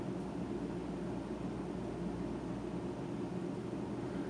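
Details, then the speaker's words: Bluetti EP800 solar generator running a 50-amp luxury RV off grid; bedroom roof AC switched to cool at 108 degrees inside, fan kicking on, compressor possibly kicking on; steady low hum and airflow rush, smooth; later 2 ACs plus fridge draw 4,000 W (14/13 A per leg); normal running. "Alright, so that fan just kicked on. I think I just heard the compressor kick"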